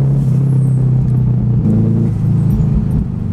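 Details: Turbo Honda S2000 AP1 (Precision 58/58 turbo, Haltech ECU) on a test drive in hot weather to check for a recurring noise: smooth, even exhaust drone swelling and easing with throttle, no ticking or knocking; sounds healthy on this drive.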